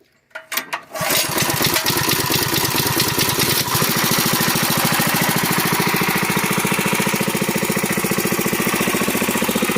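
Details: Yerf-Dog go-kart repowered with a built Honda GX160, pull-started since battery is dead: a couple of quick pulls, catches and settles into a steady, even putter with no misses; normal running.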